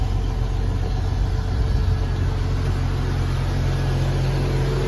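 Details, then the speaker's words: Jeep XJ after ECU repair (unit no. 252, capacitors replaced): fuel pump now stops after key-on and the engine starts first try. It idles with a smooth, even, steady deep hum with no misses. Acceleration, AC and charging are all normal. "สตาร์ทครับสตาร์ททีเดียวติดนะครับอัตราเร่งปกตินะครับเปิดแอร์ทำงานปกตินะครับระบบการชาร์จนะครับปกตินะครับ"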